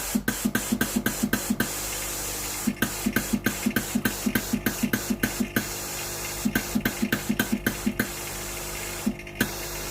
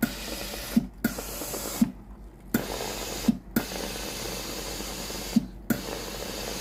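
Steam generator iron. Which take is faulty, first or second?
second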